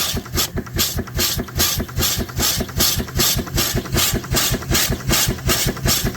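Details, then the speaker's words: Steam engine driving a homebuilt alternator charging a 36V lithium iron phosphate battery at about 40V, 280W to 30A: steady chuffing about 2.5 beats per second with loud hiss every stroke. Steam leaking out the bottom past blown packing. "And you can tell it's working now. It's leaking a lot out the bottom now, but that's okay."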